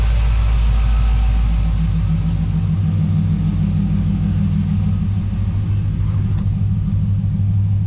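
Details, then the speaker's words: 1985 GMC Sierra C10 with 5.3 LS swap, just started after a backfire, good oil pressure, fuel pressure about 60: deep steady idle settling to about 700 rpm, no miss, running smooth. "it's settling down to about 700 RPM so you know sitting here idling it's fine"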